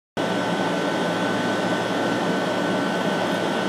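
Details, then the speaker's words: Steam boiler-house feed tank vent after the two large faulty steam traps on the heat exchangers were replaced: steady even hiss of condensate flash steam, no spitting or surging; normal venting, where before the replacement it spat heavily. "Donc là on voit bien, là c'est la vapeur de revaporisation des condensats. Quand ça marche bien, ça doit faire à peu près ça."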